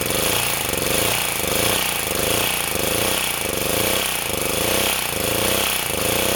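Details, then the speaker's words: Sportsman 2000 W four-stroke generator under a 1500 W space heater load before repair: engine note swells and sags about 85 times a minute, never settling. The governor is thought to be too sensitive, overreacting and bogging the engine. "e problem I think with the governor is that it's too sensitive so I'm going to move the spring to here and hopefully that'll make it CU because what happens is it responds too violently and then it buls the engine down"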